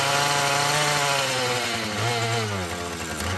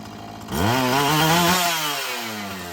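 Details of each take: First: Husqvarna 445 chainsaw that had bogged when throttled, after cleaning and tune-up: it snaps up to full revs and drops back cleanly several times, pitch rising and falling smoothly with no bogging; it runs well, though the diaphragm may need adjustment. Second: Husqvarna 445 chainsaw that bogged on throttle, restarted after richening the high-speed mixture, before cleaning and final tune: fires up and revs, pitch climbing then easing down smoothly. Running better; owner expects it to soften up.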